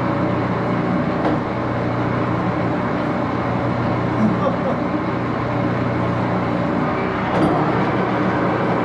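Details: Axelson 14x30 heavy-duty gear-head lathe, headstock on AW68 hydraulic oil, run through its gears: constant mechanical whir with steady gear hum, even rhythm, no clatter; healthy, just loud.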